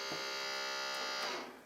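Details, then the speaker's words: Yamaha CDC-625 multi-disc CD changer, disc drawer won't open or close, unit had water ingress and corrosion: thin, high, steady whir about 1.5 seconds then fading, drawer not moving; likely slipping belt. Drawer motor whirring. "okay sounds like we've got a slipping belt which is probably most likely what it is"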